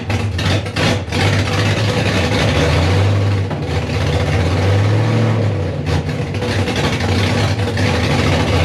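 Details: First start of a freshly rebuilt 5.3 V8 in a 260Z, 80 psi oil pressure: loud V8 hunting unevenly, with a heavy lumpy lope, irregular pops and stumbles, and no steady idle; misfire, cause unconfirmed, to be checked with HP Tuners.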